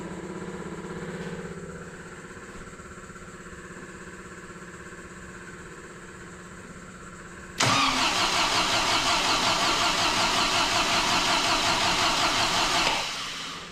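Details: Overhauled MGB engine with newly fitted supercharger and decompression plate, first start, run 40 seconds without coolant: hard start, quiet lumpy idle then a loud uneven run pulsing about three per second; rough running, owner thinks it needs adjusting, cause unconfirmed.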